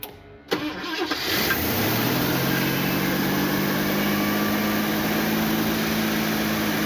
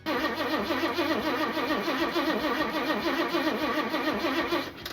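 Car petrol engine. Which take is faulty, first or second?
first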